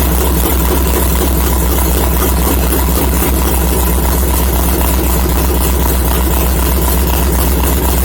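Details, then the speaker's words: LS-swapped Mazda Miata after refuelling (the fuel pump had been getting loud): steady, smooth low idle, no misses; still needs a tune, the thermostat housing weeps and the fan won't switch on by itself. "i think it was because the fuel pump was getting kind of loud and that sounds a lot better"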